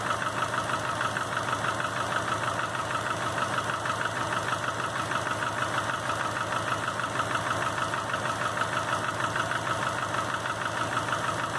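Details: 2005 Subaru Legacy GT, rebuilt refurbished block with new crank and bearings, used rods, pistons, heads and VF40 turbo, warm idle oil pressure 22 psi, new plugs, no exhaust leaks: crisp even knocks about two a second; cause not found.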